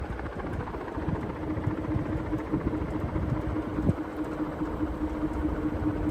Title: Clipsal ceiling fan annoying ticking sound